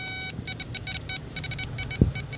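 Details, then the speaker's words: Electrical tester on an RMC3 circuit: the steady beep on the center pin breaks into choppy sputtering bursts when the other harness is plugged in and holds solid when it's unplugged; the fault is suspected in that circuit, not confirmed. "I get that sputtering on that sound. Unplug, plug. So I'm thinking my problem is going to be somewhere in this circuit here."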